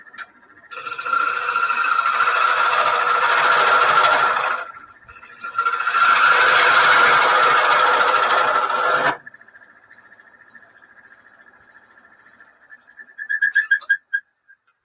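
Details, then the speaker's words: Wood lathe turning a mulberry bowl: loud scraping cuts, then a thin steady squeal between them from tiny shavings trapped between the tailstock center and the work. "you hear that noise it's tiny little bit of uh shavings got caught in between the uh it's not moving T little bit of Shaving that's how much rooms in between the uh tail stock pointer and the the center"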